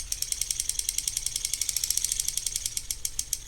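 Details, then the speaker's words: Shimano Stradic C5000XGL reel makes fast, light clicking while the handle is cranked, persisting with the drag loosened; first suspected the clicker, but traced to a warped rotor rubbing unevenly against the housing. "Hey y'all, today we have a Shimano Stradic C5000XGL that's making a little clicking sound."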